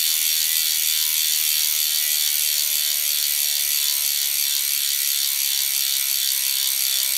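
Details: Freehub of a DT Swiss 370 three-pawl rear hub on the E 1800 Spline db wheelset of a 2020 Canyon Endurace CF SL Disc 8.0 Di2, coasting freely: fast, even, high-pitched buzz of pawl clicks with no skips or grinding; normal, healthy freehub.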